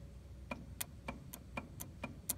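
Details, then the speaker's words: International 986 tractor with good batteries, starter solenoid jumped directly: sharp dry clicks about four a second with no cranking; the solenoid engages but the starter motor itself fails to turn, fault in the starter. "the solenoid is doing stuff, but no dice on the starter turning over, which means it's in the starter somewhere."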